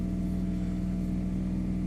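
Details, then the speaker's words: Motorhome diesel generator, now starting from its start button after repair (light blinks for glow plugs first): steady even drone, firm low hum, no knocks or misses; runs smoothly. "starts the generator which it just did you can hear it running i'm sure it didn't do that before it does that now"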